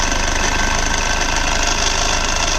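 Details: Hyundai Verna diesel, front wheel removed, idling with a fast, steady chattering rattle over a hissy whir that appears when the steering is turned, especially at full lock. Traced to the belt tensioner, and it goes silent afterwards.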